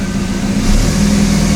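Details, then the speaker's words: Toyota Tacoma with swapped TDI diesel, first run, truck lifted: steady, even diesel drone idling in second gear at about 10 mph, no knocks or misses; normal idle in gear. "there we go got her second gear idling 10 miles an hour i guess the other tire's moving not that one but it is in gear and moving so"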